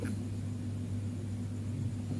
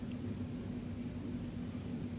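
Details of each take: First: Fridge compressor GFF57AA (1/6 HP plus or 1/5 HP) with a 1/5 HP overload, replugged for a trip test: a heavy steady hum continues past 1 minute with no cut-out, though it should trip within about 20–44 s; risks burning out the compressor. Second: Fridge compressor GFF57AA (rated 1/6 HP plus, data says 1/5 HP) fitted with a 1/6 HP replacement overload: after about 1 min 35 s off, the compressor restarts with a steady low hum and a click, so a 1/6 HP overload works.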